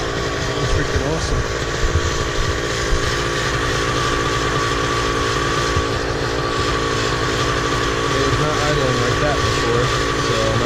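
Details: Miniplane Top 80 paramotor two-stroke after full ignition wire replacement; steady, even drone at constant pitch with no misses or stumbles; running smoothly and healthy.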